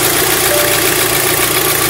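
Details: Audi S3 8P TFSI after cam timing chain replacement, vacuum lines refitted: steady even idle under a lot of hiss, no knocking or ticking; it ran very splutter before, now cranks and runs smoothly.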